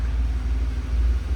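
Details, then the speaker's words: Peugeot 106 GTi warmed up after several minutes idling, oil level checked perfect, running on old petrol; smooth even low idle rumble, earlier ticking completely gone, no misses; engine healthy. "Let it run for a couple of minutes more. And now you can hear the ticking noise is completely gone. It's running smoothly on old petrol."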